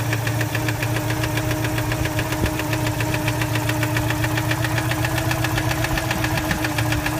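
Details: 1987 Citroën 2CV Special: after the engine warms up, a sharp, even knock about four times a second rides over a steady idle, coming from inside the engine rather than the tappets; engine knock.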